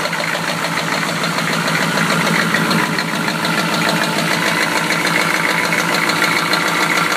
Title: 1993 Chevy rod knock pt.3